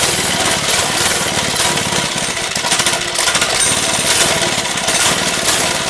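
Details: Lifan 2.5 hp single-cylinder go-kart engine with cleaned original carburetor, choke now off: fast loud chatter with wavering uneven beat; running rough but better, owner suspects old gas still in it, carburetor leaking fuel.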